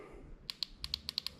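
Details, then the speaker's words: LS3 fuel injectors from 1959 Apache twin-turbo LS3 project, bench-tested after freeing a slightly seized one: crisp ticks about eight a second at even strength, no misses; normal clicking. "they all sound pretty good now it's good"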